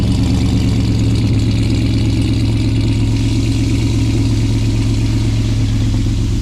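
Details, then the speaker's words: Custom RAM TRX V8 cold start with Stainless Works long-tube headers, high-flow cats, resonators and bed-mount exhaust: deep, steady idle with loud exhaust burble and no manifold tick; normal cold start idle. "I'm fine with the noise but for people that aren't at least with this truck with stainless Works Long tubes I really do not hear the tick"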